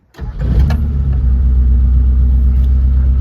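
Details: Short-wheelbase Mitsubishi Pajero, 4G54 with Weber carburettor, after the botched aftermarket timing chain repair was fixed, timing and carb tuned, oil leaks repaired and a faulty plug swapped: a quick crank catches at once and settles to a steady, even low idle with no knocks or ticks; healthy.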